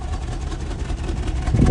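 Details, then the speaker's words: 1967 Lincoln at cold idle, mic at the tailpipe after fitting a completely new exhaust: low, even, quiet rumble with no ticking or puffing; owner thinks there may be a leak but cannot find one; normal idle. "but she's quiet listen to how quiet isn't this awesome"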